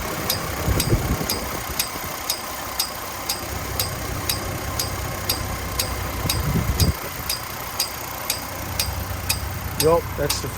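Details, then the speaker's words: 2003 Chevy Trailblazer LTZ idling with a steady light tick about once a second and occasional thumps from the fan area. The tick persists after fan clutch replacement; the owner suspects the PCM needs reprogramming. Cause unconfirmed. "he laughed at me and said no you don't have to do that you just replace the fan clutch which I did it's still ticking I'll let you hear it"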